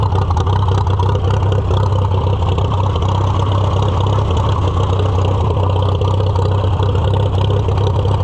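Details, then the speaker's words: Farmall F-12 on steel, auction find being revived: steady deep chugging run with an air-intake piece removed because the engine ran badly with it fitted; air cleaner restriction suspected, and the carburetor probably needs a rebuild. "It does not like that piece fitted on. So, let's take it off for now."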